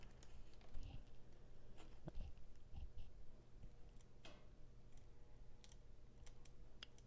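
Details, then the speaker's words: Vintage model locomotive, possibly seized: motor powered directly by probing a brush with a wire at full power gives a faint steady electrical hum under handling clicks but never turns; stalled motor. "I can you can hear the motor humming it doesn't seem to want to move though let's try giving it full power let's see it might just be seized"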